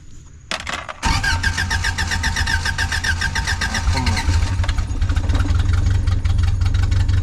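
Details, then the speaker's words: Old Toyota truck sitting 26 years, after replacing the suspected bad coil and fixing a ground, carbureted: cranks a second, fires and settles into a steady, somewhat uneven low idle; engine starts and runs. "Alright, you heard it here. She runs."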